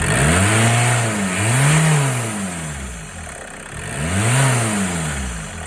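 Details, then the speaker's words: MK2 VW Golf GTD diesel after EGR and turbo cleaner treatment: revs swell and fall twice over gruff diesel clatter with a faint rising whistle each time; turbo now spooling, though smoking more. "But yeah, at least you can hear the turbo now spooling up over the noise of that tank of an engine."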